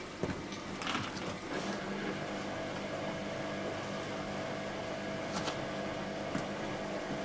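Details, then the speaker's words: Washing machine after fitting a replacement drain pump, filled to the bottom of the drum and put on spin: steady low hum with a light whirr and a few handling clicks; the new pump runs smoothly and pumps out. "Right, fit the pump and it should be working now. With a bit of luck. See, it fills and drains now. Fill. Ta-da! Working!"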